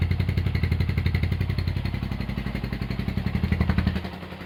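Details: Honda GL100 (GLK, CDI) single-cylinder engine after restoration with a new cam chain tensioner, idle raised: an even, steady low thumping with no knocks or ticks; healthy.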